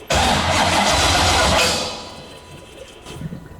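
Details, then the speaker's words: C6 Corvette drift build, 427ci single-turbo LS, first startup; starter spins hard about a second and a half, never fires; fuel pump voltage drops to about nine while cranking, starter power wire to be moved directly to battery. "all right it's uh it's a voltage issue for sure because the voltage for the fuel pump so it's dropping down to like nine as we were trying to crank it"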